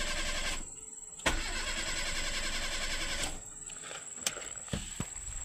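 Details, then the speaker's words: Proton Wira that died by itself after about 10 minutes of running, hot engine: the starter cranks steadily about two seconds, stops, and cranks again without firing; the crank sensor reads abnormally high on a multimeter, so the crankshaft position sensor is faulty. "Okey kita start. Kalau dalam keadaan macam ni dia confirm tak nak hidup ni."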